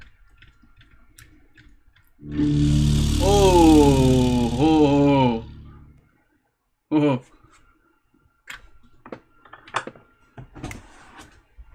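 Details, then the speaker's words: Drop-damaged Apple HomePod playing its setup chime; the low end buzzes and breaks up harshly, crackling bass suggesting a bent or leaking subwoofer. "Whoa. That sounds like a bent to shit subwoofer to fit. If I ever knew what one sounds like."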